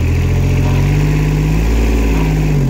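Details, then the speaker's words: Yanmar YB121U mini excavator, water-cooled three-cylinder diesel, 2796 hours, revs raised after start; even drone rising slightly in pitch then settling, no knocks or misses, running very smooth, normal revving. "Давай парни оборотов и работает он очень ровно и очень четко"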